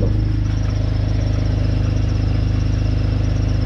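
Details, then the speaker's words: BMW 530i at idle just after fuel filter replacement and pump priming: steady idle with a fast pulse about three per second and a thin squealing whine up front; belt audible, owner suspects an exhaust leak, cause not confirmed. "Bah oui, là c'est la courroie qu'on entend. Mais il y a un cri."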